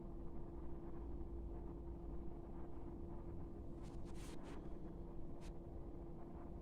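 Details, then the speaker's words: Chinese diesel heater warming up after repair of an error code 3 fault blamed on the glow plug but actually caused by the mainboard. Steady, even hum over a low rumble, burning smoothly without cutting out, before the fuel pump starts ticking. "still warming up guys uh in a minute you'll hear the the pumps start ticking uh but this is a good sign so far"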